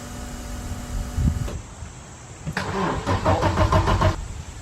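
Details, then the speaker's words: 1991 Audi 90 Quattro with big-turbo S2 engine: brisk steady cranking, no start; fuel pressure drops to near zero while cranking; owner suspects ECU blocking start on low voltage, unconfirmed. "I'm also wondering if the ECU black, if it loses voltage, it seems like it won't let it start if it has too low voltage, like even if it cranks."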